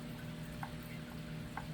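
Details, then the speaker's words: 1982 Ashford Traditional spinning wheel, second-hand and repaired, while spinning: a dull tick about once a second with each turn of the wheel over a low hum; it persists after tightening everything, possibly from the wheel being out of shape, cause unclear. "It's not a bad sound, it's just knock knock."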